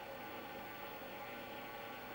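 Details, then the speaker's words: Apple Atmark Pippin console, nearly 30 years old, first power-on after shipping from Japan: constant airy whoosh with a faint high whine, loud for such a small box; noisy cooling fan. "Wow, that's fan noise is just so noisy."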